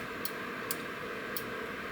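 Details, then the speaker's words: Relay from a Beretta/Riello/Carrier boiler board (error A01) powered at 24 V DC from a bench supply: four sharp clicks over a steady hiss but no continuity beep. The coil energizes but the contacts fail to close, an internal fault. "давайте запитаем его на 24 В от настольного блока питания вы слышите щелчок слышите щелчок что работает давайте подключим тестовые провода к двум ПИНам вот на практике на эти два ПИНА когда реле замыкает мультиметр Это пищит но как видите не пищит. Значит неисправно внутри, слышно"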